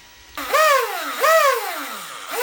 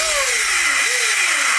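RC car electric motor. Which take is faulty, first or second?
second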